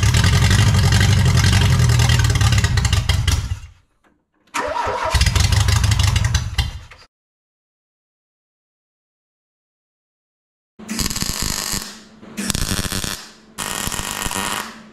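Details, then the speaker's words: 1986 Renault Espace prepared carbureted engine; repeated bursts of steady starter cranking, three or four revolutions a second, no firing; owner suspects ignition timing is off, unconfirmed. "ce que je vais faire c'est juste essayer de la faire péter pour voir si l'allumage est bien calé parce que c'est peut-être mon allumage qui est déréglé"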